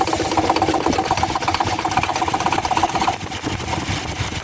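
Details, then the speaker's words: Toyota Hilux with 2.7 engine at idle: quick sewing-machine ticking, roughly two to three beats a second, with a thin whine from the front of the engine; A/C compressor seized and its pulley wobbling. "el compresor del aire acondicionado está trancado y la polea del compresor no sirve"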